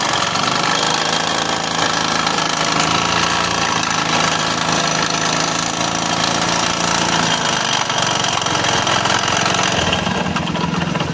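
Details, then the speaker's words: Hero Splendor iSmart 2015 motorcycle engine, noise started suddenly while riding: harsh loud continuous hammering clatter; crank bearing and connecting rod damaged, crank moving up and down, full engine rebuild needed. "इसका crank bearing और connecting road वगैरह damage हो गया है। इसके वजह से इतना आवाज कर रहा है।"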